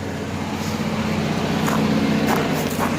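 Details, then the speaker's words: 7000 W Kohler generator in a bus after the plugs were regapped to 0.030, running with no load: a steady, even drone with no misses or surging. It runs better and sounds normal. "let's see if it'll run better sounds good sounds working"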